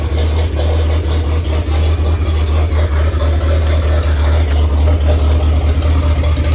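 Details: 1927 Ford Roadster 2.3L turbo four, freshly started after fuel-line repair on 91-octane fuel: lumpy, loud low rumble, fairly steady with slight unevenness; running fine with no leaks, downpipe still to be welded, needs tuning.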